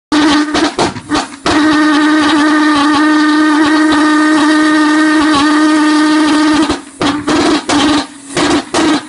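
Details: HobbyKing pulse jet on regular unleaded fuel: it ignites into a steady buzzing drone for several seconds, then breaks into ragged pops and sputters out. It won't self-sustain at any fuel pressure tried.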